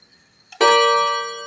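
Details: Seiko Japanese wall clock with 30-day power reserve, power indicator, and pendulum: a single clean bell strike rings out and fades slowly over a second after the hands are turned slowly by hand, a normal half-hour chime from the striking train.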